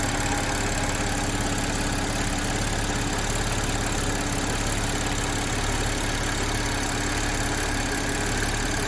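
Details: Audi A7 3.0T idling with a light, uneven metallic chatter up front, suspected timing chain rattle; owner adding one quart of Marvel Mystery Oil to the crankcase before an oil change hoping to reduce it.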